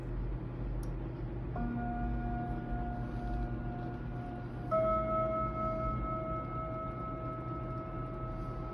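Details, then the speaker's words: Kienzle Westminster chime mantel clock, unused about 40 years and recently dropped, pendulum barely swinging: only a couple of ringing chime notes seconds apart instead of a proper Westminster phrase; chimes at the wrong time with wrong notes. "and it doesn't actually chime very well either and it sounds quite nice but it just doesn't do it in the right place at the right time or with the right notes"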